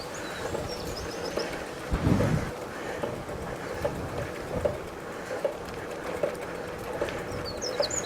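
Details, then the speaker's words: Mid-1930s Humber Ladies Sport bike, restored, on first ride in decades: soft, regular clicks under a second apart while coasting, from the Sturmey Archer 3-speed internal hub, over wind and birdsong; normal freewheel ticking. "A lovely tick of the Sturmey Archer 3-speed hub."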